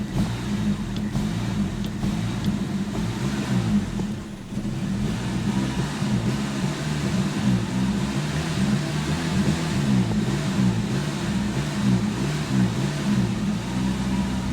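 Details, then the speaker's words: 1988 Chevy Nova hatchback (SOHC), hot engine, choke engaged after the pedal was floored: an uneven, lumpy idle sagging and stumbling as the throttle is tapped off, rough idle near stalling, cause unknown. "There's the choke because I slammed it to the floor, but then I tap it off and it wants to die."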